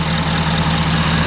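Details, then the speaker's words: 2011 Ford F350 6.7 Powerstroke diesel with a replacement engine, running again after a shorted fuse was found to be the issue: smooth, even diesel idle with a steady low rumble, no knocks or misses. The engine runs healthy. "well as you guys can see she's running"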